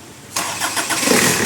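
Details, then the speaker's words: Diesel Kia Sportage towed in from Samar after it stalled on the road and would not restart: the high-pressure injector pipes were bled until diesel came out, then it fires after a brief crank on one click into an even clatter. Only the ABS light is on, no check engine light. "Yun, no? One click. Ayos. Ayos. Ayos. Yun. Goods. Ayos na ayos pa yung under eh."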